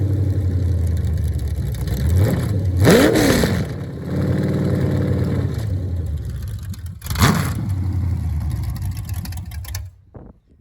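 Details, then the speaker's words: Chevrolet CT350 circle-track crate engine on a test stand with shop headers, flat-tappet cam broken in, mild cam: even, lumpy V8 idle that climbs cleanly on a couple of blips, then settles and shuts down smoothly; healthy. "to document how cool it sounds with these headers on it"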